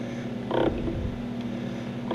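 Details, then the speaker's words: 1966 Ford Galaxie 500 convertible under restoration, wiper motor being tested: two dry, creaky rubbing squawks as the wipers sweep, sounding like something is rubbing. The owner plans to lubricate the wiper arm pivots. "see if the wiper motor works and it does it sounds like something's rubbing on"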